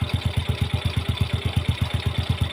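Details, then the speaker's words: Yamaha Jupiter Z that had a loud knocking clutch noise, fixed by adding one ring (shim) and changing the black, old oil. Now a steady, even single-cylinder idle at about nine beats a second with no knock: normal idle; an exhaust leak is noted. "Nah, kan si motornya itu kembali adem ya, Teman-teman. Tidak seperti tadi pokoknya ya."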